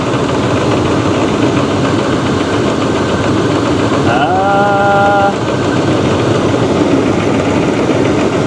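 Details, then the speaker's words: 2012 Chevy Cruze Eco, loud idle with a heavy deep knock from one side of the engine plus an apparent heavy misfire; transmission-area whine heard earlier; cause unconfirmed. "not sure guys that sounds like a deep knock maybe not just a a rattle or a tab maybe a knock oh shoot and a pretty heavy misfire"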